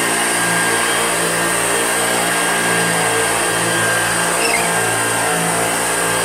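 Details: Old Hoover Junior upright vacuum, recently repaired by a shop, running: constant high motor hum with a thin steady squeal over it, caused by a squeaky wheel.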